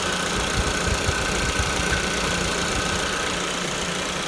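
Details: Suzuki SX4 after AC evaporator replacement and a fresh refrigerant fill, tested in poor ambient temperatures for testing: steady, even idle with a constant rush from the compressor and fan, no cycling, rattles or squeal; AC working normally.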